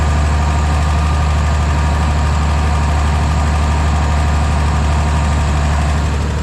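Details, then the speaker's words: Briggs & Stratton single on an Agri Fab Mow & Vac leaf vacuum, after valve adjustment raised compression to about 25 psi: steady, even running at constant speed, no misses or knocks; strong compression release. "well that runs really nice I'm kind of shocked I never have seen one where that compression release releases that much compression that it would act like it has almost zero compression"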